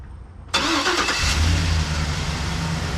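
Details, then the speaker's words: Chevy Express van after exhaust manifold replacement, which wouldn't start until the other key was used (security issue): catches sharply into an even, steady low idle, quieter, with the previous tick gone. "I mean, that is so much quieter. I don't know if you can tell, but I can. Oh, there's no ticking."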